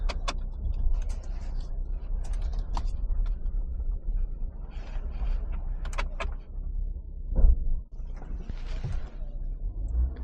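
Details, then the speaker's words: 2020 Dodge Ram 1500 with erratic shifting, third-gear and other gear faults, and 10-volt battery: a single heavy clunk as it drops into reverse over low idle. Driveline lash, suspected to come from the rear differential. "it kind of sounds like coming from the diff yeah that's I was just going to say it sounds like it's clunking back in the DI"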